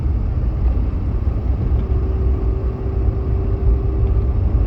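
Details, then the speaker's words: High-mileage Ford F-150 at about 50 mph on very light throttle on the highway: heavy road rumble with a faint steady whine rising in from the rear differential; fluid was low, topping off made it slightly quieter. Cause unconfirmed. "Now, another one of the things that I will add about with the diff noise is that it tends to be a lot worse at 50 miles per hour when I'm on very light throttle. So when I'm on a highway on the interstate, it tends to be the worst then."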